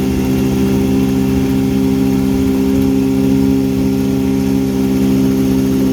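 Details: 1959 Elgin 7.5hp two-stroke outboard on 24:1 full-synthetic mix, on the pond after crankshaft repair and restoring spark: strong, even buzz holding a steady speed with no misses or sputters; runs healthy and just about planes off.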